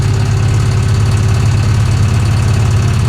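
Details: 1966 Chevy Impala, long-flooded car on its first highway drive in over 20 years: loud low rumble with an uneven knock about three beats a second; cause suspected, unconfirmed.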